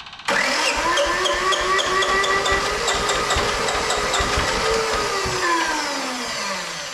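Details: Japanese IHI mini diesel excavator that sat a while, cranked on a jump pack with the fuel pump on: steady starter whirr with slowly wavering pitch for several seconds, but it never catches; no-start, and the owner suspects too little fuel reaching the injectors.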